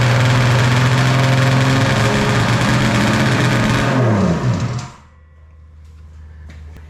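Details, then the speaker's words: 1995 Polaris Storm 800 triple snowmobile, 1,500 original miles, 130 psi compression: fast two-stroke buzz idling far too high before dropping; runs well at top end; fix by adjusting carb air screws, found set too lean. "today we got to figure out why it's idling so high runs pretty good top end but won't idle"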